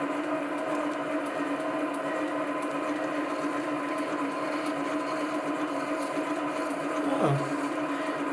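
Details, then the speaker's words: Chinese SC2 mini lathe, 1.6 mm HSS parting tool, test cut on brass to check tool centring: smooth steady hum, even cutting note, no chatter or squeal; normal parting cut, tool thought to be exactly on centre. "Well, I thought I'd just turn a bit of brass with this parting tool just to see whether I had centered it correctly, because I thought I had."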